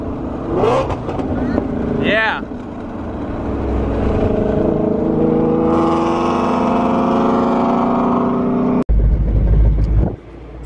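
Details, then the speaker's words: Whipple-supercharged Ford Mustang GT350R, manual transmission (3160) with broken third gear: V8 revs through the gears with a loose, uneven rattle following road speed, third gear rolling around inside. It won't drive in third. "sounds awful this thing is not happy third gear is just rolling around in there you can literally hear third gear"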